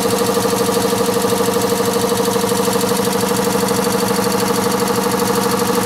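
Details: Newly replaced water-system compressor running behind a wall: steady pumping at about three beats a second with a constant hum, no shaking, knocks or rattles; running normally.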